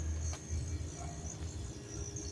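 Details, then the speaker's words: Samsung RS27KLMR refrigerator powering up after an electrical problem: the ice maker knocks, a sharp relay click follows, then a steady low hum as the compressor starts normally. A damaged connector cable still needs replacing. "Accionamiento de relevadores y ahí tenemos el arranque del compresor."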